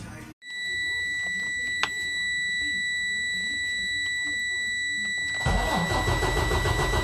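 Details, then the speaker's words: Freightliner Cascadia DD15 diesel, restarted after cam housing reassembly and timing setup. A steady high warning tone sounds, then the engine cranks and catches cleanly near the end. It is a healthy start and sounds better than before; oil pressure should be around 75. "you can hear the engine it is better than before right"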